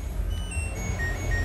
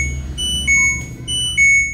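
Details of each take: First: LG Smart Inverter washing machine inverter module with burnt A1015 PNP transistors on the supply and water-inlet solenoid lines, attributed to moss: very faint short beeps stepping down in pitch plus an error sound over a low hum. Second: LG Smart Inverter washing machine after replacing two burnt A1015 PNP transistors on the inverter module (dead-unit fault): clear, loud high-pitched power-up beeps in a short pattern, previously faint with an error; normal power-on beep.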